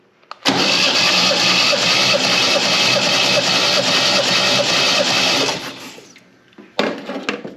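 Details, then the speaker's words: MGB sat 15 years, compression test cranking with plug out: steady, slightly sluggish cranking, even pulses about 2.5 per second, never catches; battery sounds tired (suspected). "So also the batteries sound like it's a little tired, so I have that going too."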